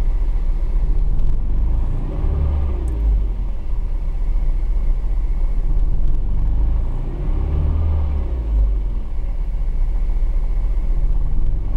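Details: Heard from inside a 155 cabin: low, lumpy rumble swelling and sagging unevenly; engine misfire, cause not pinned down.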